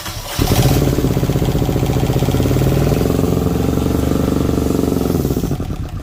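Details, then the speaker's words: Rebuilt genset from a Tiara boat on a bench test, fuel and antifreeze bled: it catches quickly and chugs steadily for about five seconds before shutdown. Output reads 135, no leaks, running healthy. "well she's putting out good output 135 wherever it should be i don't see anything leaking anywhere"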